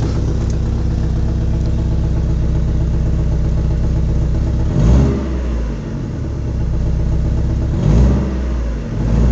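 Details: Engine with suspected misfire despite new spark plugs and coil pack, cam timing checked, compression 225–240 psi; MAP and crank sensors untested: low idle with two quick revs, beat slightly uneven and lumpy; cause unknown.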